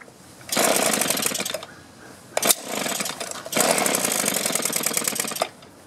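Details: Buzzy small 2-stroke (string trimmer/blower type) with barrel-type carburetor surges, drops away and picks back up, won't hold steady; hard start and bogging on throttle from a dirty carburetor fouled by stale fuel, needing clean, rebuild and low/high screw adjustment.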